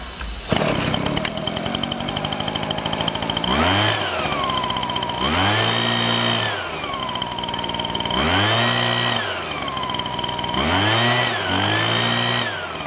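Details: Husqvarna 125BT backpack blower two-stroke: buzz rises on throttle, then sags and dips repeatedly instead of holding speed; falls flat with choke butterfly open, carburetor problem suspected; bogging.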